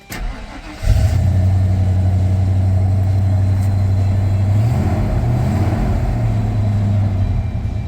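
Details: 1994 Ford F-150 after welding on a new muffler to fix an exhaust leak from loose clamps; faint tapping and a miss suspected, gauge reads no oil pressure due to failed sending unit though pressure tested fine: steady even low rumble, exhaust sealed; normal idle.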